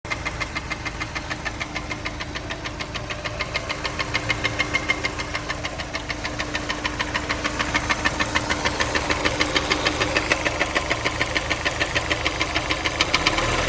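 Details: Honda S2000 considered for purchase: sharp, regular knocking about three times a second over the running engine, steady rhythm; engine knock of unknown cause.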